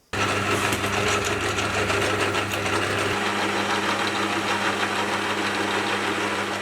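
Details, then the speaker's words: Lathe headstock gearbox after flushing and refilling with thicker 30-weight oil instead of the recommended ISO 68: steady gear hum and whine with a busy rattle that settles slightly; noise improved versus before but still not perfect. "You know, comparing the before and after, I definitely think it sounds a little bit better. You know, it's not perfect, but it is definitely getting somewhere."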